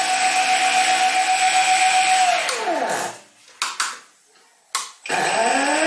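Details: Stepper motor on cheap TB6600 analog driver, full steps without microstepping, at high rpm: steady high whine drops sharply in pitch and cuts out, then only clicks; motor stalls, possibly too little driver current.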